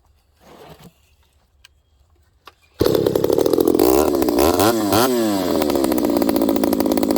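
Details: Ported and piped vintage Homelite 922 chainsaw cutting wood after leaning the high-speed jet about an eighth turn in; quiet, then snarls to a strong clean high rev, pitch dipping briefly under load. Owner suspects overlong fuel line makes it position sensitive. Running well.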